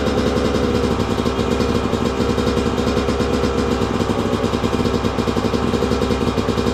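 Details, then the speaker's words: 2002 Yamaha YZ125 two-stroke dirt bike after long storage, fresh top end, choke on: crisp, fast, even firing holding steady, no knock or clatter underneath; crank sounds good; normal idle. "Yep. She runs good. Let's go. Well, there you go, guys. Running really good too."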